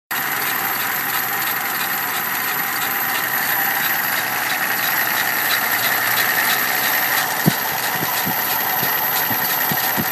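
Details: 1987 Dodge Power Ram W150 5.2L V8 at idle: even idle with a light, rhythmic fast tick about three or four per second; owner suspects a bad lifter.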